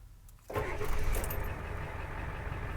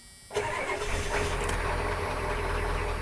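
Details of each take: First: 1991 Ford Econoline 350 with a 7.3 IDI diesel, 90k miles, restarted warm after running 10 minutes, glow plugs cycling quickly, no throttle. Catches within half a second and settles to a steady diesel idle, a clean warm start. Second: 1991 Ford Econoline 350 7.3 IDI diesel camper van, about 90k miles, mild cold start after two weeks sitting: cranks and catches roughly, uneven stumbling rumble; hard start sputtering, owner suspects fuel lost pressure since last run.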